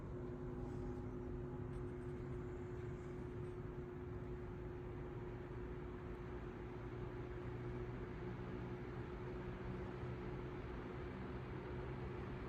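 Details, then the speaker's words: 1942 Emerson 77646 (possibly AL) vintage desk fan at medium speed, which shakes a little. A quiet, steady hum with a soft airy rush and no rattles or scraping; very quiet. Normal, healthy running. "As you can see, it shakes a little bit. Better than that, it runs really nice too. Very quiet. Medium speed."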